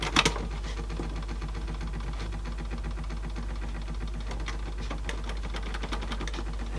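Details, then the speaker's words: Faulty low-end Sansui dual cassette deck with Tanashin-type mechanisms, one previously locked: a steady mechanical whir with irregular clicking chatter in play. The transport sounds like it is dragging, but the cause is unclear. "something yeah so that again making that noise in play so we've definitely got big faults of this thing"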